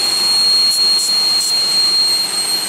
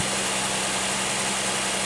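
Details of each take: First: 2001 Pontiac Aztek GT, rebuilt engine that had sat in pieces 8 months, at idle: loud steady high-pitched whistle that got quieter when the upper intake plenum gasket area was checked, likely a vacuum leak at that gasket. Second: 2001 Pontiac Aztek GT V6 after the loud high-pitched noise was found: a steady idle with an even low hum, no whine and less shaking, though a misfire still shows.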